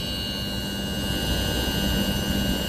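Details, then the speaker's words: Heat pump inverter compressor running, drawing 7.8 amps; steady low hum with faint high even tones typical of inverter drive, no knocks; normal running. "So it's on and you can hear it. This compressor runs on an inverter. That's the way it sounds like that."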